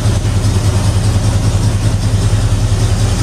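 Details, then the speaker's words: Ford Bronco, already warm: choke set unnecessarily when throttle was pumped, steady slightly raised idle with even low beat; fast idle with choke on. "which needed not be done but that's fine so but as you can hear it's idling now and running pretty awful decent"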